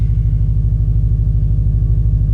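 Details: 2015+ Subaru WRX STI boxer, stock engine with supporting mods, injectors, 38 mm external wastegate and FP Green UHF turbo, first start after COBB FlexFuel kit install on new map, about 10% ethanol; deep even rumble, fires straight up, normal idle.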